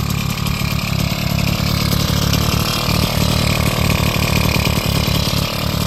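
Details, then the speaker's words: Bullet Train BT80 two-stroke bicycle engine kit, first run after wiring and battery install: fast, buzzy idle holding steady without stumbling or missing; normal running. "So, put the little switch in the off position. Time to hear it run for the first time."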